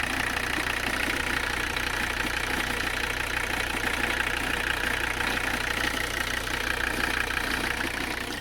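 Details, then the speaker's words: 1985 Mercedes 300CD turbo diesel, abandoned car revived, warming up (about 65 °C, water not yet warm, noticeable blow-by, slightly overheating later): steady, even diesel clatter with no misses or knocks; normal diesel idle. "yeah engine is just running so beautifully"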